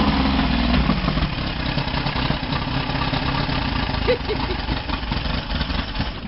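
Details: Boat engine started after sitting unused for a while on a cool 6 °C fall day, not yet hot: catches and settles into an uneven, lumpy idle with irregular beats; rough idle, probably from sitting unused too long.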